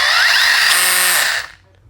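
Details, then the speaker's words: 1/8-scale electric buggy on 4S with a Futaba 7PXR after ESC calibration and binding; its brushless motor gives a sharp whine climbing under throttle, loud and aggressive, then cuts off cleanly. This is normal throttle response. "let that fire up the blue lights on excuse the noise we definitely have throttle there"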